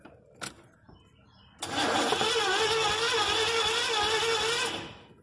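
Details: 1983 Chevy van, first start attempt with gas poured into the carburetor: about three seconds of steady starter whirring with even cranking pulses, then it stops; the engine never catches, crank no start.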